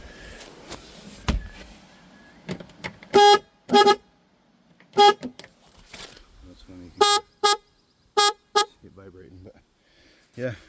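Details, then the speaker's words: Boat horn after replacement with a fatter new horn, tested installed: several short, loud, clear horn blasts with steady reedy tone, reasonably loud; normal horn operation. "Probably okay the way it is, but let me see how loud it is down here. Yeah, not too bad."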